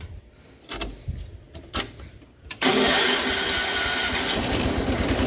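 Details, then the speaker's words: 210 lawn tractor after carburetor rebuild (leaking bowl gasket), fresh gas and air filter refitted. A few short cranking bursts, then it catches at once and runs steadily and evenly; first time it started without choke on slow throttle; healthy start. "It's the first time it started like that. It's the best it's ran on slow throttle too."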